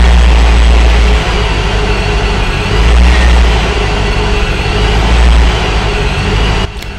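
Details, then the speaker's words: Supercharged Corvette after a rich condition was adjusted and the external fuel pump fuse reinstalled, with the FMU and pump almost in sync: deep V8 idle rises and falls every couple of seconds before levelling out; slight idle surge. "it's going to do a little surging but once it uh levels out uh she purrs like a kitten"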